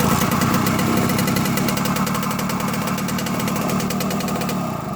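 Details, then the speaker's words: Two-stroke engine on a test frame simulating a Kawasaki KE100, kick-started for a 6 V to 12 V charging conversion: crisp, rapid popping fires right up and settles into a steady run, then dies away; a healthy, good-running motor. "a good running motor right there. Fires right up."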